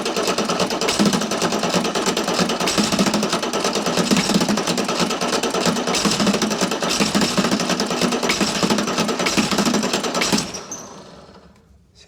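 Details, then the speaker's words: Chrysler (Mitsubishi 6DS70) marine diesel that sat for years in a barn, cranking on two old batteries. Fast, uneven chugging with a few cylinders catching but no run; fuel is barely dripping at injector five and none is reaching injector six. "still got nothing on the sixth one tighten up number five let's see if she'll take off and just clear herself out"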